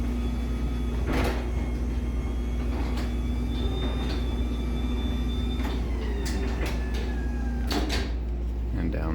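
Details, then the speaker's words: LiftMaster 84505R garage door opener, demo unit installed for training: steady low motor hum with light clicks, fairly quiet; normal operation. "I mean it works it's kind of quiet it's honestly I'd say it's probably about the noise level of that"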